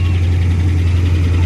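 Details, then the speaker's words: 2009 Dodge Ram Sport 5.7 Hemi after fuel pump replacement for a no-start: strong steady low hum with faint airy rush, no knock or squeal; normal cooling fan running, truck back on the road. "that's the fan baby running yeah bless guess what back on the road again"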